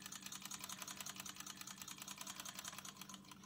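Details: Ciné Kodak Model A 16mm movie camera, partly torn down: quiet, light run of crisp ticks at a fairly steady pace, no scraping or binding; clockwork mechanism healthy.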